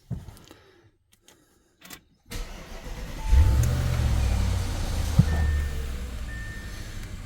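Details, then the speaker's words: 2014 Audi S8 D4 4.0 V8 turbo started right after an oil change with about 8.5 litres of oil plus Pro Lube; a short crank catches cleanly, oil pressure comes up, and it settles into a smooth, steady low idle with no knocks or ticks: normal start. "pressure came up. Engine sounds good. Let it run for a few."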